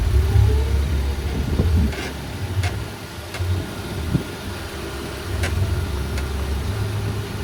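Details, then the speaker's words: Toyota Avanza Veloz automatic, brake noise complaint, slow roll with light throttle then braking: scattered, irregular clunks over low road rumble; warped front disc and loose caliper guide pins. "Nah sekarang bunyinya Seperti apa ini saya enggak pakai subtitle karena bukan Di jalan umum sekarang kita cek bunyinya ini saat saya rem ya"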